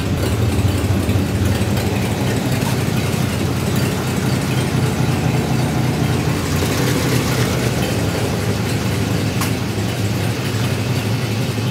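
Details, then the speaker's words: 1952 Ford F1 flathead pickup, unrun from 2007 until restarted about a week ago, heard while walking around to listen at the back. A low, steady idle with an even rumble and no knocks or misses. Healthy, normal idle. "i know super cool motor flathead just a pair away let's go take a listen back here"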